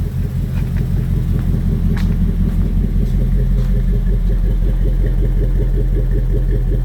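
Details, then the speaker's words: 2002 Jeep Grand Cherokee 4.7 HO with coil melting/misfire problem, heard at exhaust: lumpy idle with regular dull stumble; unplugging coil 3 changes nothing, coil 3 dead; cylinder 3 misfire. "You can hear that miss. So coil 3 is completely doing nothing."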